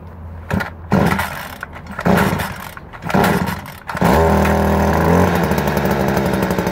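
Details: 2017 Stihl FC56C edger: a few sharp recoil pulls, then it catches and settles into a steady, even two-stroke buzz with no stumbling. Running fine.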